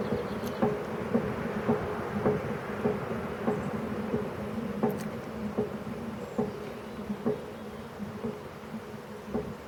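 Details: YardMax YW7565 wood chipper, under 4 hours of use, fully greased and oiled: the cutting wheel coasts down after shutdown with the chute open and gives a rhythmic clunk once per revolution, which also happens on a manual spin. The owner suspects a warped wheel or something jammed in the bearings.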